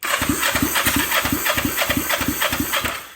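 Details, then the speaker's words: Kawasaki Ninja 500 engine in mini bike frame, after retiming and rewiring a shared harness ground (owner suspects it's toast): steady starter cranking about three compression pulses a second, never catches, dash lights fine; no spark. "And the engine still turns on and it still cranks over. The dash still lights up and everything fine, but we have"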